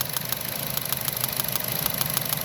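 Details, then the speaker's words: 2011-2015 Chevy Cruze, 77k miles, cylinder 4 misfire: sharp crackling snaps six or seven a second over rough idle, visible sparking under hood; suspected failed OEM coil pack arcing, possibly spark plug, not confirmed. "that's either a bad coil pack or bad sparkplug I'm gonna guess it's a coil pack because I think the spark plugs are lower than that"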